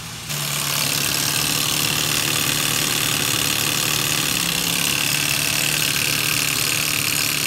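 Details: 2006 Ford Ranger 4.0L SOHC with about 230,000 km, after replacing cam chain tensioners: fast light ticking over steady idle, three to four per second, seemingly from the head; valvetrain tick persists, repair did not fix it, cause unconfirmed.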